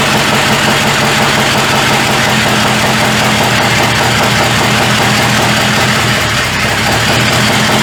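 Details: 1985 Chevrolet C30 after diesel-to-gas engine swap, first start: rough, uneven idle with a ragged, stumbling beat, heavy diesel-smelling smoke; seems to fire on about three cylinders, firing order suspected; multi-cylinder misfire, cause unconfirmed.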